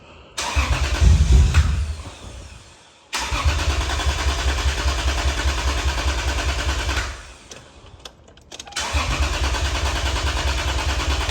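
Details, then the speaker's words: 2003 Lexus IS300 cranks steadily at three to four beats a second over long attempts but never catches; fuel pressure good at about 48 psi; thought to be flooding itself, an injector dumping fuel suspected, unconfirmed. "I think it's flooding itself out that's a lot of things happening"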